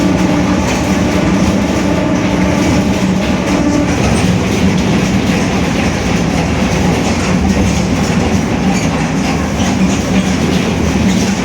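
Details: Marcopolo Torino S 2018 body on 2021 Mercedes-Benz OF-1721 BlueTec 5 diesel city bus, cruising: a low droning growl and faint steady hum under road and cabin noise, from a growling rear differential.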